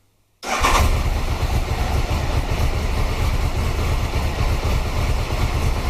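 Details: 1993 Triumph Trophy 900cc triple after upgraded sprag clutch replacement, new oil, oil and air filters: starter engages without clunk, fires at once, smooth steady idle; healthy.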